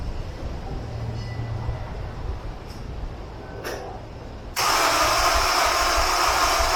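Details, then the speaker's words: Honda S2000 cranks but won't start after flood-suspected troubleshooting with spark plugs and charged battery back on: quiet hum, then a steady fast starter whir for a couple of seconds with no firing or pickup; crank no start, cause not yet found. "That was like attempt number 89 of me trying to get this thing started."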